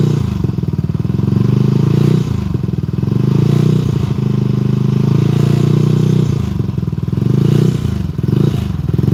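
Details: Benelli 135 motorcycle engine running: loose metallic rattle riding on the exhaust beat, rising and falling with revs; source unclear, some noise gone, a loose vibrating fender suspected, valves questioned.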